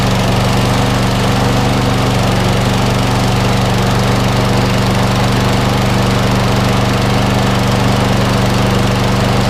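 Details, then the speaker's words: 2013 Viking MB545VR mower, Briggs & Stratton single-cylinder after bent crankshaft replaced with a 19-year-old Hayter Harrier donor's: steady, even putter with constant beat, no knocks or misses; runs normally after repair, some smoke from oil on exhaust side. "yeah it looks fine looks fine guys for me sounds like a perfect yeah"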